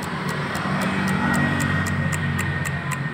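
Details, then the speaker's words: Honda Vario 110 injection scooter, key on: sharp rapid clicking about four times a second from the fuse box as the relay chatters on a weak battery; electric starter won't work, but it starts on the kick starter. "motor ini jikalau di kota bunyi ceting ceting ceting detik begitu tapi diengkol hidup"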